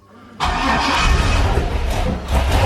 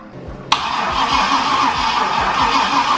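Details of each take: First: 6.0 LS V8 swapped into a Cadillac coupe, first start with a wire run straight to battery; catches at once into a loud, deep, lumpy rumble with oil pressure, normal start, small oil leak at a rear fitting. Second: Cadillac with LS-swapped 6.0 V8 (oil pressure also unverified): starter cranks steadily about three turns a second for ten seconds, never catches; no spark, checking main red wire voltage drop while cranking.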